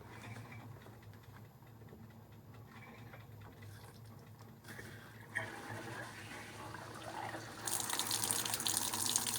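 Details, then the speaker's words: Fisher & Paykel Smart Drive washer, cold, low water level: quiet low churn as the bowl turns, then water rushes in and grows louder as the valve opens; normal boot-up going straight to fill. "so you can see what was happening there was that the bowl started turning and the water valve opened so in this case it's booted up okay it's happy with that um and so it's going straight to the fill"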